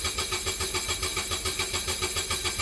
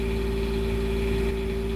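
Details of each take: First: Onan Quiet Diesel 7500 HDKAJ generator in a 2001 Coachmen 380 MBS RV right after oil change: starter cranks steadily about 3.5 turns per second without firing, then stops; fuel system not primed (needs stop button held a minute). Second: Onan Quiet Diesel 7500 HDKAJ generator in a 2001 Coachmen 380 MBS RV freshly serviced and primed, warming up before an oil recheck: smooth constant drone, steady hum, no misses or hunting; healthy normal idle.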